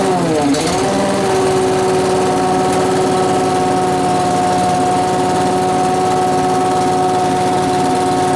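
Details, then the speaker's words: Small engine blower started indoors with fuel newly drawn in: catches after a brief stumble, then holds a steady, even high buzz; normal running after start. "oh the fuel Le in there woo working now I say it's working"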